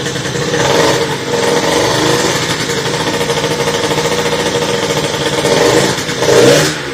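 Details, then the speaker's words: Motorhispania RX50 Racing two-stroke moped started after side stand replacement, cooling not yet sorted: the buzz rises and falls unevenly through blips and struggles to hold idle. It runs rough and seems to need choke to keep running. "Yeah, it does run. Doesn't run great though. It seems to want a bit of choke just to keep running."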